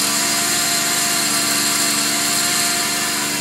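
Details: 2005 Subaru Outback VDC wagon, 3.0 H6, 80k miles, engine running: steady high-pitched whir with a dry scraping edge that first sounded like belt squeak; failing idler pulley bearing, silent after replacement.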